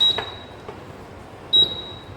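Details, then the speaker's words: Induction cooktop just switched on gives a high single-pitch beep about every 1.5 seconds because no pan is detected on the surface; the beeping stops when a pan is placed. "जो बीप sound येत आहे म्हणजे आपण काहीही ठेवलेलं नाही यावर भांड नाहीये त्याला डिटेक्ट होत नाहीये काही म्हणून तो असा आवाज करतो"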